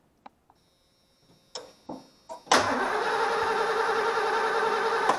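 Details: 1989 Ford E250 Econoline van that suddenly lost spark after new plugs, wires and distributor cap, tried with old cap: a few clicks, then steady even cranking about three seconds that never catches; no spark, ignition coil suspected.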